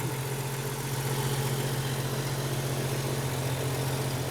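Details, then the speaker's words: Jeep Cherokee XJ inline-six after an aluminum radiator and electric fan conversion, warming up to temperature: an even, smooth idle with a steady low hum and no ticks, knocks or misfires. Runs well, with nothing leaking. "the old jeep sure runs good nothing leaking"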